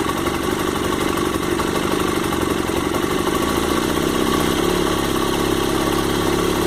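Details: Honda CG 1999 motorcycle after repair of an engine noise caused by unlubricated valve rockers, with clutch also freed up: smooth, even single-cylinder idle, no top-end knocking or ticking; rockers now lubricating normally.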